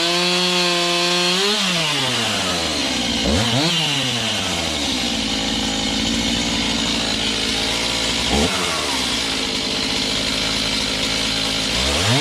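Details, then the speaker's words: Serviced Stihl MS291 chainsaw cutting a roughly 12-inch log; a strong, steady howl bogs slightly into each cut and snaps back. Normal cutting under load; high/low carb adjustment may be tweaked later for firewood season. "she eats pretty nice something we'll probably Tinker with you know high and low carb adjustment as uh as we go through the seasons we get into firewood things like that"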